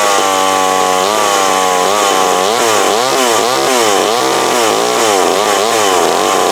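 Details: Older McCulloch Mac 120 two-stroke chainsaw, previously taken apart, after a carburetor adjustment-screw tuning; a sharp buzz revs up and down repeatedly and picks up cleanly, running decently though it may need slight further tuning.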